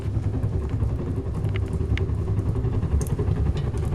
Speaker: Так может не только топка паровоза. В этой печке сильная тяга.